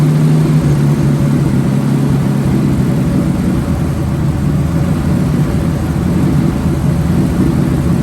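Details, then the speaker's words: Ford Bronco II with ongoing running problems: loud, rough engine drone held at an elevated idle that never settles. Owner suspects someone adjusted the idle screw and plans to back it off to lower the idle; not confirmed. "So we might try to back that off and see if the idle goes down a little bit."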